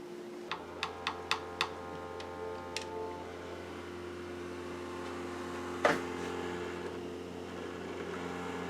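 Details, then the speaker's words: Used Xbox Series X, disc drive after cleaning and reassembly: several quick clicks as the disc loads, then a steady, noticeable whirring hum; still loud, owner suspects rattling from loose parts since many screws were missing. "I think it still sounds terrible all right I'm ready to try this again uh took it completely apart a new thermal paste and tons of screws were missing so I'm just thinking that it's rattling around because something's loose"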